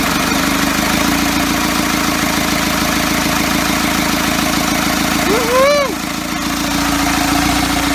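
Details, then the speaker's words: First start of a first-ever diesel engine build on custom motor mounts, at night, needing extra fuel: chugs slowly and unevenly with a brief rise and sag midway; idle speed way too low. "way too low way too low there we are"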